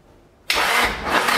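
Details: Nissan SR20DET first start after 1.5 years standing, start map and ignition timing not set correctly; catches sharply into a harsh unsteady idle, oil pressure very low.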